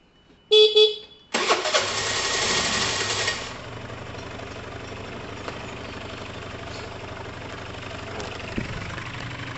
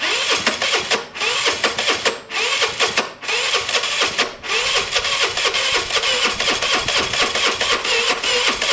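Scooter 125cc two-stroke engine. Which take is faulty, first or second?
second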